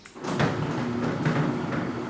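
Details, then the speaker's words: Tilting garage gate, 20 years old, after PET-bottle bushings fitted: soft rolling thump and light rattle, no banging along the travel; still knocks at the bottom but otherwise quiet. "mas agora na parte do do percurso nunca bater mais é a beleza silêncio é tudo de bom"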